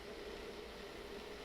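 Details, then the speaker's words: Treadmill running belt tracking too far to the left, its edge rubbing the inside of the side trim: steady running hum with a thin continuous scraping hiss, recorded with the belt running before tracking and tension adjustment. "you can hear the side of the belt is rubbing against the inside of this this part here"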